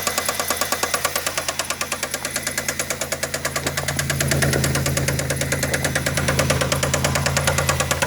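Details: Engine idling, felt banging through the dog-bone mounts: sharp evenly spaced knocks about three per second, hard-edged; owner suspects a bad rod bearing.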